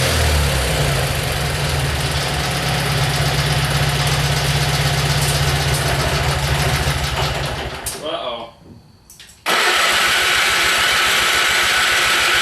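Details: Simplicity small engine with hard starting, cause unknown: about eight seconds of labored cranking, a brief stall and silence, then it catches and settles into a steady run.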